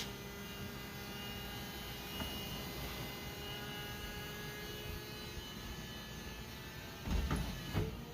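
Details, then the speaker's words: Convertible top hydraulics cycling on a 1999 Mercedes SLK230 with trim removed: steady, even electric pump hum with no straining or grinding, sounding like air mixed with hydraulic fluid; no oil leaks seen, top working normally. "you can actually hear it sounded like it kind of sounds like air mixed in with hydraulic fluid that funk that operates the top i don't see any oil leaks but okay let's uh probably sounds fine to me"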